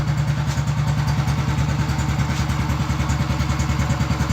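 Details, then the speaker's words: Honda Biz C100 single after engine rebuild: quick, steady low putter around two hundred beats a minute; the exhaust sounds a bit loud and raspy, and the owner plans to cover it. "ruidito de a no s por el escape un poquito ruidoso pero vamos a taparlo"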